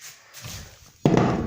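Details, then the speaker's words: Mazda 3 front suspension knocking on gravel and small bumps: a sharp tap sets off a tinny, buzzing metal rattle from the damaged front brake disc dust shield; damaged front bushing also found. "Плюс пыльник переднего тормозного диска. Если слышно,"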